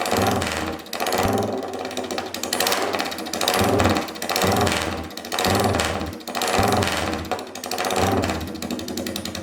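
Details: Royal Enfield 350cc Bullet single on a freshly made custom open megaphone exhaust, recorded indoors, idling and revving. Loud, crisp thump swelling and dropping with each throttle blip about once a second; clean pipe, runs fine.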